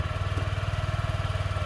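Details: Honda Ruckus scooter, cold start at about 40 degrees after an ECM data reset, previously hard starting and bogging: a quick, even putter with steady pulses and no stumbling; idles smoothly and sounds healthy.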